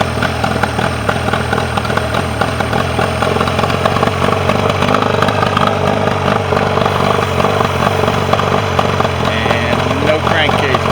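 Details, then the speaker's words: Mercury 40 two-stroke outboard that came in with a no-start and would not idle; balance check had found the bottom cylinder not firing. After repair it idles evenly with an unbroken rhythm on both cylinders, no misfire. "start her up. Run on both cylinders."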